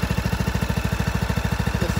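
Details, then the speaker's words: John Deere LA125 with a Briggs & Stratton 21 hp engine, 282 hours, after the aftermarket carb was replaced with an OEM Briggs carb and a new filter, plug and oil: a steady, even thump of about twelve pulses a second. It idles cleanly. "so it's getting there and it runs perfect so yeah I'm sure it was the carb that aftermarket one"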